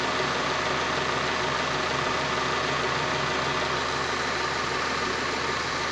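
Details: Honda Prelude running engine: harsh steady grinding rush with a thin whine on top.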